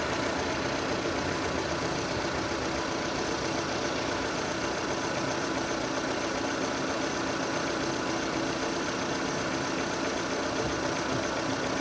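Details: 2006 Renault Scenic II, K4M 1.6 engine, automatic, 202,000 km: knock appeared, coming from below and increasing as the engine warms; steady warm idle with faint irregular tapping about three or four per second; cause unknown; engine knock.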